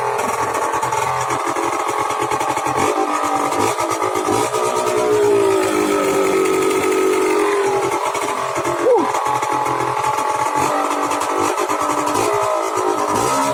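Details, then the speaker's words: Two-stroke scooter after cheap exhaust renovation: steady buzz with a brief rev swell midway, no misfire or rattle; running perfectly. "Ben voilà, c'est parfait."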